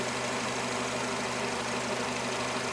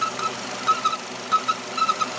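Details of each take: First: Nissan Terrano/Renault Duster, 47,000 km, idling after replacing a torn rubber diaphragm seal: smooth steady hum, no squeaks, chirps or ticks; earlier squeak near flywheel area is gone. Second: Nissan Terrano (same as Renault Duster) 2.0 engine, 47,000 km, running: thin, high cricket-like chirps in irregular bursts that seem to come from the flywheel or release bearing area. Crankcase ventilation (PCV) valve chirps under vacuum; it stops when the dipstick is pulled.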